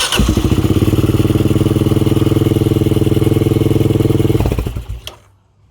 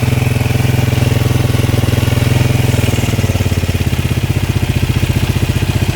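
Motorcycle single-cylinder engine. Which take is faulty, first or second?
first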